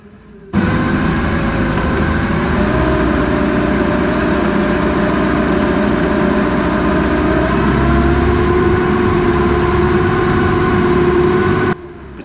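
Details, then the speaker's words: 2006 Meridian 341 NSB boat in drive after shaft realignment, PSS shaft seal fix and cured cutlass bearing squeak: steady, even drone with no knocks, rattles or squeals and no water spray. Normal running. "pretty good no water spray and no unusual sounds"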